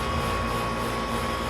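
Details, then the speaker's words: Air conditioner outdoor condenser after compressor replacement, R22 system, restarted after letting gas settle: steady even hum, constant fan rush, smooth compressor drone, no rattles; running optimal between 50 and 60; normal running. "sounds good running optimal between 50 and 60."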